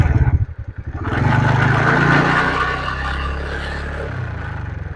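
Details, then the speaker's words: TVS Ntorq 125 BS6 scooter after reassembly to fix an engine-noise complaint: it fires, revs cleanly and settles to a pulsing idle; the engine now sounds fine, and a light rattle comes from something loose on the silencer. "ररा की आवाज आ रहा है उसम आप लोग मत जाइएगा ररा हट का आवा साइलेंसर का कुछ य ढीला हुआ है उसके चल से हो रहा है"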